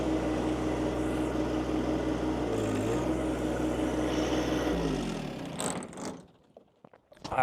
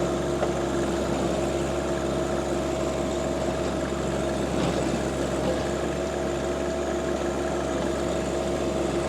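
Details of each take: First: John Deere 2025 compact tractor driving a Tarter RT205 rototiller: even engine drone bogs and stalls within seconds as tiller engages; top gearbox oil leaked out, gears seized, stalling the tractor. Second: John Deere 2025R compact tractor driving a Tarter RT205 rototiller, after the top gearbox was replaced because its oil leaked out and the gears seized. Steady, even drone under constant load, no knocking or grinding; healthy.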